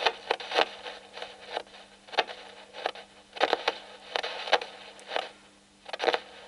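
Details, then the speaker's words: Potentiometer tested with a signal tracer and capacitor at about 5 V supply: irregular scratchy crackles and pops as the knob turns over a faint hum; probably a bad spot on the track, not confirmed. "this probably does have a bad spot on it there"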